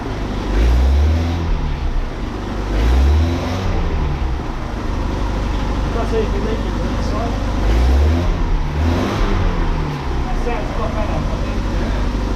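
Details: Mazda MX5 NA Eunos Roadster just after replacing the leaky valve cover gasket: crisp four-cylinder revs climb and fall cleanly back to a steady idle with no misses, ticks or knocks. It sounds much healthier than before.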